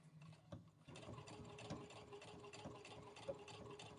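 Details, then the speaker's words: Brother Innovis A150 sewing denim at 2.5 mm stitch length, needle possibly worn from fleece: even quick mechanical ticking with light hum, earlier thumping mostly gone; normal sewing. "Okay, so the thumping sound is pretty much gone from before. It's a little bit."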